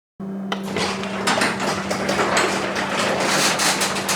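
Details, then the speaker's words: Genie belt-drive garage door opener, newly installed, after programming: low steady motor hum with light door rattles as the door closes; much quieter, smooth normal operation. "notice how much quieter the garage door opener is is now"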